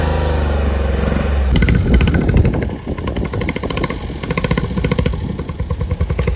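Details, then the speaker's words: Honda kei car at the port, judged in need of a tune-up, heard driving: uneven, stumbling beat under road noise, like a cylinder dropping out; a misfire is suspected. "yeah I think that's a misfire luckily we got the trailer so we can trailer it to him"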